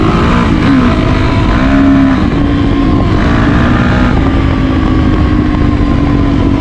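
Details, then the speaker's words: Yamaha YZ450F after a project build, ridden around the block with audio from a chest-mounted camera: a crisp single-cylinder bark pulling cleanly up and down through the revs, no knocks or rattles; it runs normally. "Got the chest mount on I want to see if this picks up audio It sounds so good"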